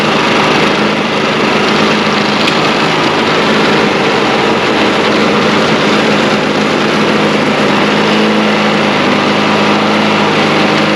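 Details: Snow blower small single-cylinder gas engine after replacing the clogged carburetor, test run outdoors: steady, even buzz with no surging, missing or hunting; running cleanly.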